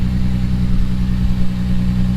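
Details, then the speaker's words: Lexus IS300 just after installing a GReddy Supreme SP catback, idling on the ground: deep steady drone with a faint puffing edge from a slight exhaust leak at the rear joint; owner plans to fit a new 3-inch gasket. "let's get under the car and double check we do have an exhaust leak back here"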